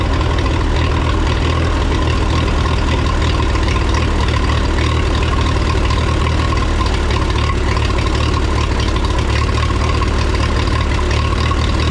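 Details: 1954 Minneapolis Moline UBU tractor after new plugs, wires, cap, rotor, points, condenser, carburetor clean and timing adjustment, points lead no longer touching distributor: deep, steady idle with even low beat, no misses or knocks; normal idle.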